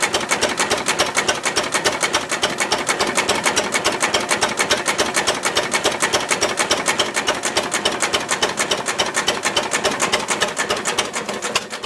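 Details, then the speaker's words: Ruston Hornsby model PR, about 1926, horizontal single-cylinder petrol-paraffin engine, on petrol with mixture leaned from too rich, apparently first start in 5 or 6 years: even beats just under two a second, crisp valve clatter, no misses; normal idle. "That's better. Yeah. Open a bit. Good, considering it has been running for 5 or 6 years."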